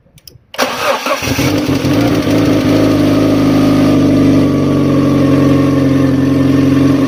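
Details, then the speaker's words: Fiat Stilo after engine replacement and new timing belt (original belt snapped), cold weather: cranks briefly, catches first time, settles into even steady idle with no misses or knocking; runs properly. "it runs perfect finally it was the timing and it was not something like the engine or whatever uh the engine is fine first start and it starts"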